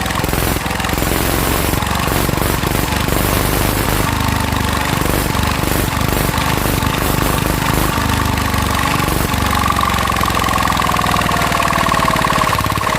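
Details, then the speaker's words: Mitsubishi NM85 diesel, about 40 years old, test-run after rebuild: rough diesel thumping with a thin steady high whine; bearing whine suspected from belt tensioner and radiator fan bearing, not confirmed. "ที่เย็นเสียงดังลูกปืนเปลี่ยนมานะครับน่าจะดังทางเอาตัวตั้งสายพานนะครับตัวตั้งสายพานกับพัดลมพัดลมหม้อน้ำนะครับ"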